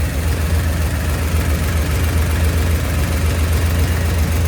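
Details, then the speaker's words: V8 after switching from failed flat tappet to roller cam and lifters: deep steady lope idling about 900 rpm, vacuum advance connected, 14° initial, 34° total timing, no blow-by, no valvetrain tick; quiet lifters, healthy idle. "Pretty impressed at how quiet these lifters are."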